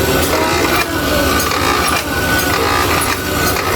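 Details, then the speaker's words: Sewing machine motor that suddenly got loud, bench test: steady harsh grating rattle over the motor hum; loose bearing housing chattering, fix is oiling through the oil hole, thicker oil preferred. "Lalagyan natin to para mabawasan ko yung ingay. Ayun. Dito po, pagka may tunog siya na ganyan, ayan, parang garalgan."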